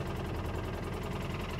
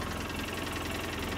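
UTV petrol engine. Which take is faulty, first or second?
first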